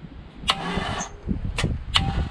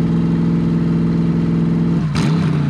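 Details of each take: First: Complete C5 Corvette drivetrain out of the car, cracked bell housing, in strong wind: short, uneven starter cranking bursts as the engine moves and binds at a tight spot; downward force suspected. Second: C5 Corvette V8 drivetrain run out of the car with open headers, second start; loud steady idle with two quick throttle blips that rise and settle cleanly; all eight exhaust ports checked hot; normal idle and revving.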